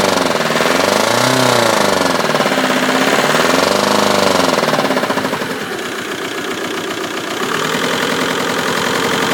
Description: Hi! This is my 2002 Golf GT TDI PD 150 ARL with an awful knocking noise when accelerating, all seems fine during idle and the noise only starts after 5 minutes of driving.